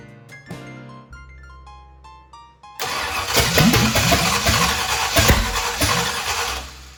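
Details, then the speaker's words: 1965 Ford Thunderbird FE 390 V8 after distributor was moved: after cranking it catches, coughs and stumbles with uneven firing; owner thinks ignition timing was too far advanced and readjusts distributor. "let me play with that a little bit yeah I think I had it little too far Advanced so let's try this now see what happens"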